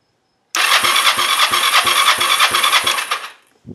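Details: Kawasaki Ninja 500 engine in a go-kart build, first cranking with minimal wiring while checking for spark: starter turns it at about three even pulses a second for nearly three seconds, never catches; cranks but no start, cause unconfirmed.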